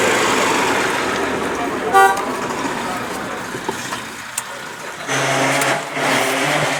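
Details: Car horn that had stopped working from the steering-wheel button, after repair: a short, clear toot over street traffic noise. The horn seems to be working again.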